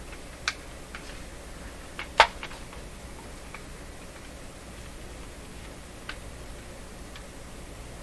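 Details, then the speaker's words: Linn Classik 115 CD mechanism: a handful of sharp isolated ticks a second or so apart as the loader lifts the CD; something catching in the sliding part, suspected lack of lubrication; no tick when upside down. "there okay something is catching the lubrication issue looks like looks like not much lubrication in this sliding part you can hear it a little tick right there"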